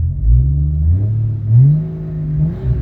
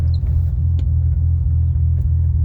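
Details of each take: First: 1988 BMW 528e with 3-inch Magnaflow exhaust, odometer mileage stated as incorrect: deep, even exhaust rumble that swells briefly with throttle and settles back, no misses or knocks; idle control works well, normal idle. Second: 1988 BMW 528e with a stock M20 B25 top end and cam: a deep idle rumble with an uneven lope several times a second; the cam is ruled out as the cause.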